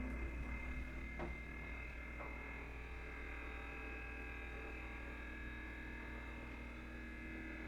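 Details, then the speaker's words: Electrolux DB52x inverter stainless fridge, nearly one year old and still under warranty, heard at night: a continuous low droning, buzzy hum with faint ticks. The owner reports a crack followed by a motorbike-like noise, then the fridge stopped cooling while the freezer works. Cause unconfirmed. "A minha geladeira que está com problema. Electrolux DB52x, inverso inox. Olha, escutem o barulho. Inacreditável, né? Uma geladeira dessas com esse tipo de barulho."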